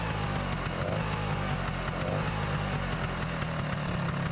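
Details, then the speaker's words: Vespa PX two-stroke scooter after no-start repair, choke pulled: steady even putter at low idle, no misses or rattles, after idle screw turned anti-clockwise to lower high idle rpm; normal idle. "I need to turn the idle screw a few turns anti-clockwise to reduce it. ah that sounds better!"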